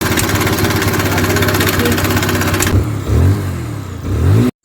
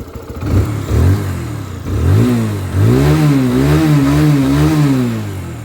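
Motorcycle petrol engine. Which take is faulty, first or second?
first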